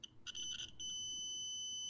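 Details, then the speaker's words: Adafruit Feather M0 Bluefruit with soldered header pins in a breadboard, continuity test: couple of broken chirps then clean unbroken high beep; pins seat deep enough in breadboard for solid contact. "there this means that all of these pins on the board are going deep enough to be able to work with them through the breadboard which is good"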